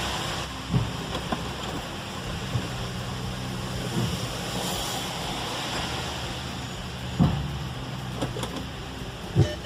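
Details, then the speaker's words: Fiat Freemont at idle, customer complaint: single dull clunks every couple of seconds when shifting between reverse and drive; source not yet found, suspected in the suspension. "Ele falou que quando dá ré e vai pra frente, ela dá um cleque."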